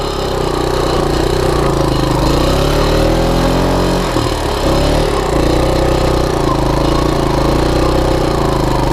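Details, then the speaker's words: 1987 Honda TRX125 ATV with CG-style single-cylinder engine, in second gear on its first ride after front-end wreck repairs: revs climb and flare with no matching pull and speed isn't increasing, so the clutch is slipping. "clutch is slipping i don't know how is he riding this i'm lost trails with clutch slipping like that yeah you guys hear it speed isn't increasing"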